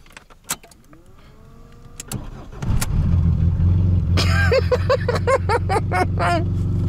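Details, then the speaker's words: 1999 VAZ 21099 with new battery and aftermarket exhaust: a few clicks and short cranking bursts before catching near three seconds, settling to a rough uneven idle; reluctant starting worries the owner. "Поче она так заводится то Меня это напрягает"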